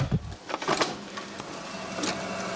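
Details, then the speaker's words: Sanyo Betacord Betamax machine: motor whirs and tape takes up, then a couple of sharp clicks and it won't play; suspected worn idler in tape transport. "Oh, taking the tape up. Couple of clicks. Looks like it's an idler issue here."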